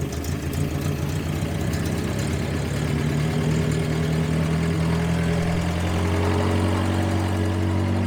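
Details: 1954 Willys military Jeep, long-stored and freshly filled with coolant, oil and fuel, first start: low, steady four-cylinder putter settling into an even idle with no misses or knocks; engine running healthy.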